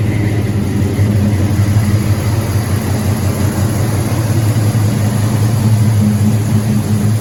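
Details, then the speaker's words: LS-swapped C10 pickup, 6.0 with cam, after new injectors, first start of morning: smooth, steady low V8 rumble with even firing, no misses or knocks; healthy idle. "But we drove it around the block and all yesterday, and it all done good. Takes gas good, it's real snappy."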